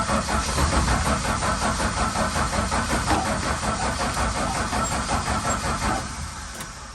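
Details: Valiant Charger VH during restoration: steady starter cranking about three turns a second for six seconds, never catching, then winding down; no-start.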